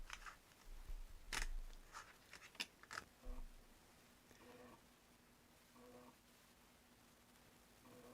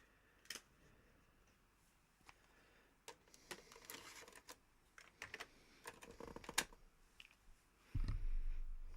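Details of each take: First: Amiga A500 external floppy drive reading a pirated backup game disc: quiet irregular ticks, short scraping chatters and repeated faint bursts as the drive retries and cannot read; suspected broken game. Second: Amiga A500 external floppy drive loading a known-good disc after two failed pirated backup discs: scattered seek clicks and ticks, then a steady low whir as the disk spins up and loads; drive reading normally.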